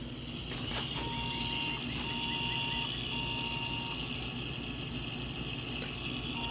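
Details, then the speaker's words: Yard-sale desktop PC with no video hooked up (unsure the card is in the right slot), power-on test: rough, rattly fan rush with three evenly spaced POST beeps, so it's doing something. "sounds like crap I guess that's that fan it's beeping three beeps so it's doing something"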